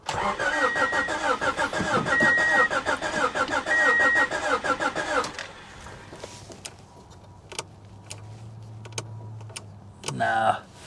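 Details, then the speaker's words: Salvage car that may not have run in 15–20 years, suspected rotten or no fuel: steady starter cranking at about three beats a second, turning over unevenly but never catching, compression sounding uneven; cranks but no start. "I knew she wasn't going to start guys I just needed to hear it crank over we'll give her another shot"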